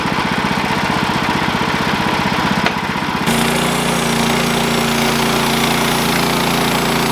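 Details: Sawmill engine chugs hard under cutting load, then at 3 s the note jumps to an even free run as the blade stops mid-cut. The cause was a worn-out, slipping clutch and a worn drive belt.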